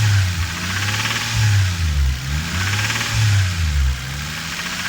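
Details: Toyota Supra 7M-GTE: revved up and down in slow swells, a dull rhythmic knock under the drone follows revs; engine knock, cause unclear.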